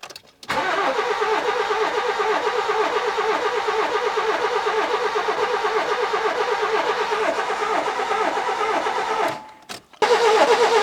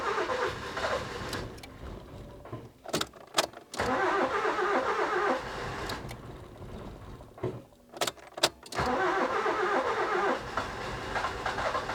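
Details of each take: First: 1992-2002 Nissan Micra K11 1.0L crank no start, no spark found, later fixed by replacing the ignition module: about nine seconds of steady cranking, two to three beats per second, never catching; owner wonders about low compression on one cylinder. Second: Nissan Micra K11 1.0 after replacing suspected faulty ignition module for crank-no-start: broken cranking bursts, then it catches slowly and keeps running, taking revs; hard start owner blames overfueling from repeated start attempts, oil to be checked for petrol.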